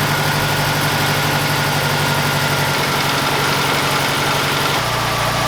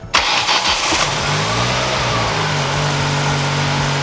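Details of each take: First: SVT Ford after resetting ignition timing, still out of time and firing out the exhaust: rough, uneven idle that stumbles and pops, then surges when revved; misfire. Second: SVT Ford four-cylinder after fixing a spark plug wire not contacting cylinder four's plug: catches and settles into a smooth, even idle with steady hum and no misfire; all cylinders firing, normal idle.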